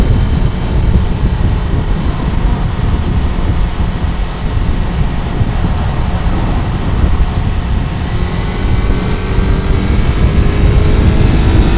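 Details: Kawasaki four-cylinder bike, warm, after fixing cylinder 1 not firing (found via wet paper on the cold header; plug caps had been disturbed): deep steady exhaust rumble with revving, now on all cylinders, slightly rough, still needs fine-tuning; new exhaust not yet fitted.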